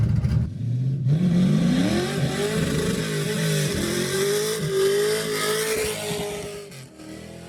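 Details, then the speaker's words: LS-swapped Camaro V8 test fire after installing new 3-inch X-pipe exhaust without mufflers: deep V8 pulls cleanly through the revs, pitch climbing smoothly with no knocks or rattles, sounding much better. Healthy engine under acceleration. "can agree. This sounds way, way better."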